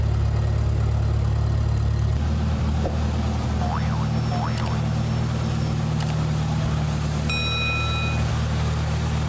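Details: Gas International Harvester 434 tractor, long unrun, battery boosted, running after governor rod reconnected to carburetor: steady low rumble with even, settled beat at constant speed; running smoothly.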